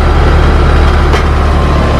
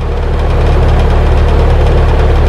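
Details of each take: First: Compressor started with an AMRAD Turbo Easy Start universal hard-start kit (potential relay plus start capacitor; black wire to common, white to herm): it starts right up at 77.2 A inrush. Steady, even, low hum without labouring; normal compressor run. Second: HVAC compressor with a history of hard starting, before fitting a hard-start kit (start capacitor and potential relay); loud steady low hum without reaching running speed, compressor failing to start.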